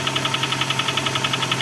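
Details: Cold-idle engine knock on a Honda Accord 6th gen (CF3, F18 engine): fast, even tapping about ten times a second; source not yet pinned down.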